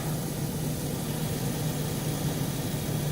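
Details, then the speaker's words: 2003 Chevrolet Tahoe 4x4 5.3L V8 parts truck, about 148,000 miles, coolant line disconnected, ABS light on: steady, even low rumble at idle with no stumbles or skips; runs smoothly, no misses. "And as you can hear, it's running nice and smooth. No misses."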